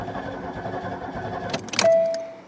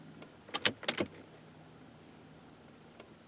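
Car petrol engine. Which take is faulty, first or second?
first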